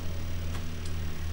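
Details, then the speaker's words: Apple II Plus Disk II floppy drive, spindle speed adjusted to about 299 RPM after overspeed errors: steady low hum from the spinning disk with slight rough whir and odd tick; noisy spindle, owner suspects bearing noise. "you can't hear that drives a little bit noisy there's a little bit of because maybe bearing noise in it"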